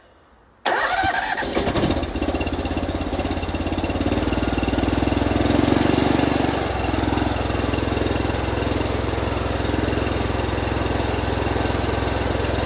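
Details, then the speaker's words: Honda IGX800 pressure washer engine after repair work: cranks and catches quickly, then a fairly steady mid-pitched run with slight waver; throttle evened out a bit, but owner suspects oil drawn from the crankcase through the PCV valve into intake and plugs. Uneven running. "sounds like it evened out the throttle a little bit but the main issue I believe with these machines are is that it sucks oil from the crank case through the PCV valve and up into the intake and the spark plugs"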